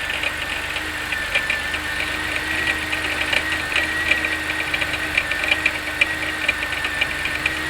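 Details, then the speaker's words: 1992 Oldsmobile 98 3.8L at idle with a light, fairly regular knock or clunk that tends to go away when revved, seeming to come from the top; suspected failing harmonic balancer, unconfirmed. "you know, uh, you know, this is with the engine on while idling. As you can hear, there's that knocking or that clunky noise, you know."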